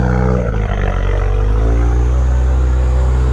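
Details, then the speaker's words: Salvage-auction Subaru WRX turbo, check engine light on, audible turbo spool through the exhaust: loud, steady deep drone that holds high without settling; idling way too high, boost leak suspected (perhaps charge pipe or intercooler), unconfirmed. "She's idling way too high. Yeah, it's got a boost leak somewhere."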